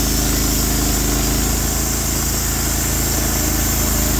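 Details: Norwood HD36v2 bandsaw mill with new roller guides replacing the ceramic guides, slabbing a big black oak through the bark: steady, full engine note holding speed through the cut, smooth even beat, no chatter or whine; normal cutting under load, cut exceptional.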